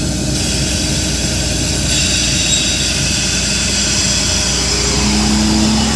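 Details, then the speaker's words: Jinko Solar air compressor and dryer, built up to 140, as the instrument-air valve is slowly opened: a steady loud roar that swells with a low tone as the compressor ramps up under load. Normal loading. "can hear the compressor ramping up"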